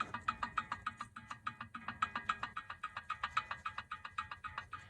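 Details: Front differential for a 2008 Range Rover Supercharged L322, off the vehicle and turned by hand: rapid irregular clicking about three to four per second, not smooth; it turns roughly, cause unknown.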